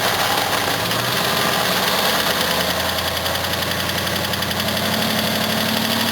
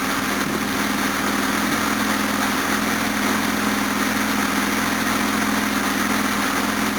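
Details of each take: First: Series 2 Jaguar XJ6 (308) on a jumper battery, still cold: idle carries a quick busy ticking rattle over the engine note, the reason it isn't being driven; source not pinned down. Cold idle noise, unconfirmed. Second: Series 1 Jaguar XJ6 with twin SU carburettors, no choke, cold on a freezing day after a water pump and thermostat replacement, still warming with the thermostat shut. Smooth, even idle with no misses or knocks; idle is perfect, timing possibly slightly advanced.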